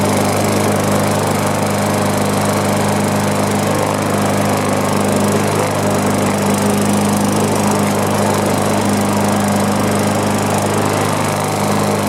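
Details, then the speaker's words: Single-cylinder mower with 500E-type engine and bent crankshaft, running better after re-gapping the magneto ignition: steady drone at constant speed with an uneven shake underneath; flywheel key thought unlikely, crankshaft may need more straightening, carburetor leak also suspected. "And so I don't think it was the flywheel key, but there is still some vibration, so I could probably still get under there and see about straightening it up a little more."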